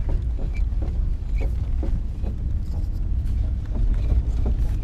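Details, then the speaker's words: Lada Zhiguli coasting with engine off: faint irregular crunching clicks from front suspension over low rolling rumble; gone when stopped or rocked by hand; owner suspects ball joint. "слушаем звук передней подвески это хруст слышать анод если мы делаем вот так"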